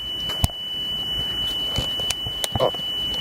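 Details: Sony Walkman WM-EX102 (titled EX610) after belt replacement, speed being adjusted: a 3 kHz test tone holds a steady pitch without wavering, with a few handling clicks. Within ±15 is considered good enough, so tape speed is steady.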